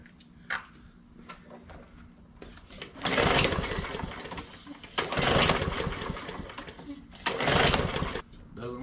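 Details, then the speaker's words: Yard Machines mower with Briggs & Stratton E/EX series engine with plastic carburetor, primed: three pull-start bursts spin the engine but it never runs; likely clogged carburetor from gas left in over winter. "so if you let your mower set over the winter with gas in it and you didn't drain it out the problem is more than likely you have a clogged carburetor"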